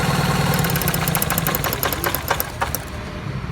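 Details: Opel Corsa 1.4 16-valve petrol engine idling with an uneven, stumbling rumble: a misfire traced to a faulty ignition coil, which was then replaced.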